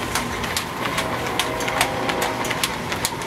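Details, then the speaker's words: Engine-driven belt and pulley drive after tightening a pulley that had been slipping on its shaft: steady chugging with light regular ticking, high-pitched whine gone, no squeal; normal belt drive running. "I got rid of my high-pitched whine which is very irritating"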